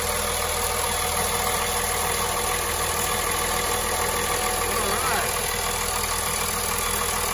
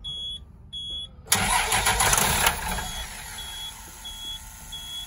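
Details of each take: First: 2004 Blue Bird SC2000 transit bus, six-cylinder diesel, long-sitting and towed in, first start, heard outside by exhaust: low, steady, even idle with no knocks or stumbles; normal idle. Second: 2004 Blue Bird SC2000 bus, long-sitting, after rewiring restored gauge sweep: dash chimes, then about a second of strong rapid cranking that dies away without firing; cranks, no start.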